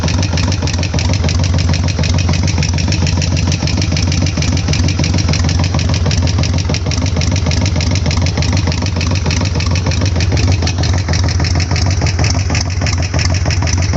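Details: Harley-Davidson Sportster front cylinder knock, present since end of last season and unchanged after oil change; owner suspects hydraulic lifters. Right after startup post-reassembly, steady quick tapping knock over lumpy V-twin idle; cause not pinned down.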